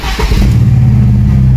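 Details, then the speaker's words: 1998 VW Golf engine, after a faulty ECT coolant temperature sensor was diagnosed, now starts on the first crank and settles straight into a steady, even idle; before, it needed long cranking and throttle to start. "ahí tenemos miren el motor enciende a la primera cosa que no sucedía antes teníamos que dar un arranque bastante largo para que encienda el motor"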